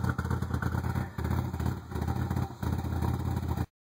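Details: 1995 Ford Probe GT with a rough idle: a lumpy, uneven pulse that dips about every 1.5 seconds. Ran smoothly last year, then ran really rough after emissions repairs, new exhaust manifolds and a new rear exhaust half. Plugs replaced, original wires. Cause unknown.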